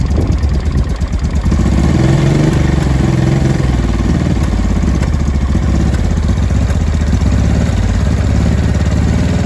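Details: 2005 Honda Deauville NT650V twin just restarted after carburettor refit (vacuum pistons repositioned, pilot screw about 1¾ turns out), cold on full choke: a loud, lumpy low idle with irregular pops. No air leak, it is just cold.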